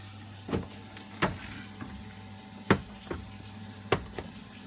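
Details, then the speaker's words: Vaillant boiler with an intermittent fault, after parameter D19 was set from 2 to 3 for pump speed: a faint steady hum with scattered clicks continues after the burner flame stops. Normal pump overrun, boiler fixed. "We should hear that pump now run after it stops this."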